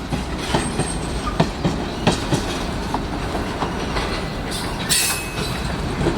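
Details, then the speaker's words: Union Pacific freight train rolling into Valley Park Yard, Shakopee, MN: paired clacks about every half second over rolling rumble and faint squeal as wheels cross the gaps at rail joiners between rails; normal rail-joint clickety-clack. "I don't know if you can see it but uh the clanking of the tracks are caused right there you see the separation and the rails where the joiners joining the two rails there that's what's causing the clanking"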